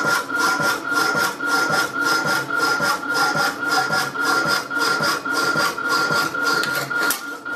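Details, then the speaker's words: Rapidor power hacksaw with its newly repaired damper, cutting steel spacers: steady rasping strokes about two a second, the blade lifting off and going quieter on each return stroke; cutting properly after the damper fix. "just cutting the spaces with my new working damper can you hear it's lifting it off on the back stroke the radar is mended"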